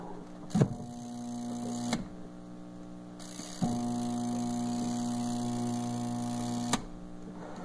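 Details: Twin-tub washing machine that stops washing and leaks water: a low, steady electrical hum for a few seconds at each power-up, with no turning. Motor stalls against a locked agitator.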